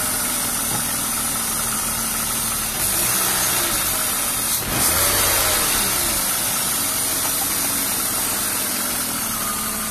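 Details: BMW E36 328i Cabrio M52B28 at idle: hissing rush from under the intake manifold and light irregular rattle, three to four per second, seemingly from the engine, not the Vanos; owner suspects old oil, change overdue.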